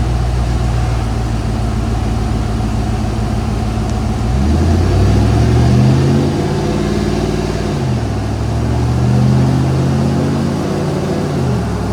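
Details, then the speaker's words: Jeep LJ with Hemi V8 and aftermarket cam, strapped on dyno before tuning: even deep idle with two clean blips rising and settling smoothly, no misfire or ticking; sounds much better than before, normal idle. "So that's the filling site right here. Sounds a lot better than it did."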